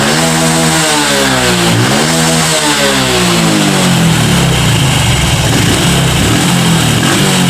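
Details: Honda Revo FI injection motorcycle that lost power at top end, after a fix using aluminium foil: small single revs up cleanly and settles back to a steady, even idle with no stumbling or bogging.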